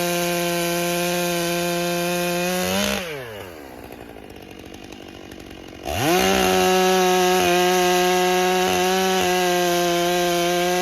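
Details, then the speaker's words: Rebuilt Stihl MS661 C-M chainsaw cutting after cold start, M-Tronic carburetor building heat and adjusting fuel; clean high scream pulling down under cut and snapping back to full revs, textbook normal operation. "And that was a textbook example of the saw operating like it's supposed to, making changes like it's supposed to, you know, building that heat and going, "Okay, okay, little little bit more fuel."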